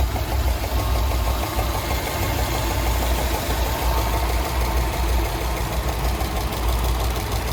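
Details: 2007 Subaru Legacy GT EJ255 at warm idle: deep steady idle with a light rapid tapping over it, described as knocking; cause not confirmed.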